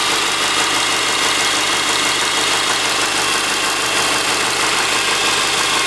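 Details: 2003 Subaru Forester naturally aspirated manual, 140,000 km, after 10-minute warm-up at -10°C garage: boxer idle with loose uneven tapping over hissy top end; suspected piston slap, unconfirmed.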